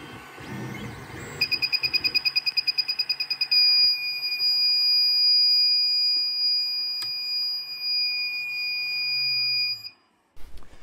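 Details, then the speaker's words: Creality Ender 3 3D printer shrill beeping, fast pulses then steady tone: thermal runaway alarm with nozzle temperatures swinging wildly, fixed by replacing the hotend thermistor. "if you have never heard the most horrific sound in the world you're about to This Is The Stuff of nightmares"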